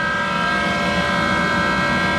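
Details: Worn Monarch 10EE lathe with original motor-generator drive; loud steady whine with rough hum from the motor-generator, bearings very loud, then rising tone as spindle engages; worn motor-generator bearings.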